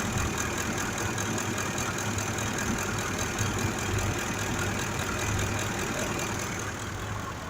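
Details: 2005 Ford F-150 5.4 V8 idling with a cylinder 2 misfire: low uneven loping idle with irregular dull thumps; misfire from faulty cylinder 2 fuel injector.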